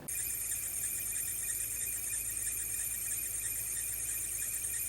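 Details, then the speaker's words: 2006 Range Rover Supercharged, primary belt and supercharger belt fitted, recorded before replacing belts and idlers: steady high-pitched squeal and whirring over low engine hum at idle; worn bearings in the two idler pulleys. "i shot my phone when i had the supercharger belt on but still had the primary belt on to try and hear what the noise was and it's definitely was the two idlers in there"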